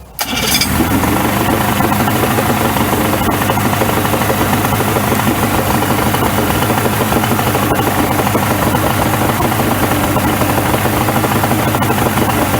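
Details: 1994 Suzuki 115 two-stroke outboard, cover off, started after a 15-minute hot soak in a cheap DIY fix: cranks, catches at once and holds an even idle without stumbling. It previously stalled and would not idle at all; improving.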